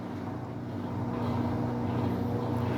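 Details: Consul washing machine on its spin cycle after the noise repair, back in place and testing: steady low hum with even tones and a slight rise in level, no knocking or scraping; spin sounds smooth and normal.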